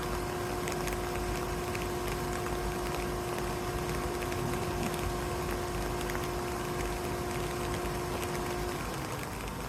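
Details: 2013 Volkswagen Jetta: steady mid-pitched tone riding over the engine's even hum, stopping abruptly near the end; source unclear, needs closer inspection.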